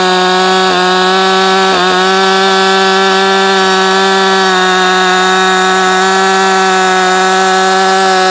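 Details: New Husqvarna 562XP Mark II chainsaw, first-ever run, warming up before timed cuts: clean steady high wail near full revs, no stumbling or four-stroking; normal running, found its tune quickly.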